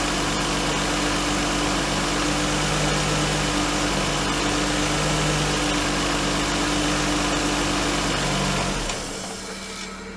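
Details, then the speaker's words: R32 Skyline RB25DE engine just started on new NP Boosted/Napol ignition coils and harness, fitted for low power under boost: even, steady idle hum with no stumble or skipped beats; normal idle, no misfire. "So it's running smooth right now. So I'm going to let it warm up a little bit and then rev it up and see what happens."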